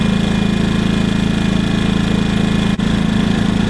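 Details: WEN 56200i 2000 W inverter generator, new and still burning off factory oil, running in eco mode powering the trailer's fan and lights. Smooth, low, even hum at a steady pace with no surging or knocks; normal healthy running.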